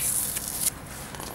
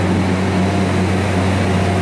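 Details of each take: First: Refrigeration system liquid line rubbed through, pressure bumped up to find it: sharp high hiss in short bursts over a quiet background as refrigerant bubbles out of the leak; refrigerant leak. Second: Refrigeration compressor after a leaking liquid line was brazed, then freed from seizing with Supco 88 oil mix: a steady low mains hum with fan noise, no clicking or stalling. Compressor starts, stops and runs normally.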